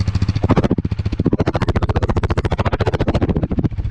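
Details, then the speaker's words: KTM Duke 390 started first try after two weeks parked, warming up beside a wall that makes the exhaust boom: quick, regular, even single-cylinder thump, no misses or rattles; normal idle. "അടിപൊളിയല്ലേ sound കേൾക്കാൻ വേണ്ടിയിട്ട്. ചുമരിൻ്റെ സൈഡിൽ ഇങ്ങനെ ഇരിക്കണ കേൾക്കുമ്പോഴേ ഭയങ്കര മുഴക്കം പോലത്തെ sound കേൾക്കണം കേട്ടോ."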